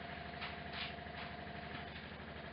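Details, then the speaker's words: 1968 MGC GT automatic, out of long storage, old fuel pump siphoning a quarter tank: quiet, even whir with a fine rapid pulse, no catching or strain; pumping quickly and sounding healthy. "But we are pumping good. Pretty quick, actually. I don't mind that. The pump isn't sounding bad. It sounds pretty healthy."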